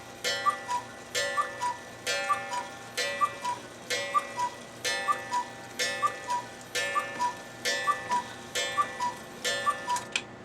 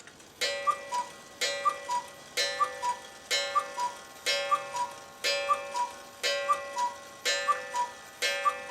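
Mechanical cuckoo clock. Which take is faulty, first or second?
second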